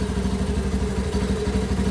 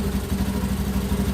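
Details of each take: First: Honda Beat ESP injected scooter that kept stalling: with the relay circuit jumpered and the battery cable removed, the small single cylinder keeps idling with a quick, even putter, so the 5-pin relay is faulty. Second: Honda Beat ESP injected scooter after fixing a stalling fault: with a battery cable disconnected the small engine keeps putting along at steady idle, even pulses with no stumble; charging is normal.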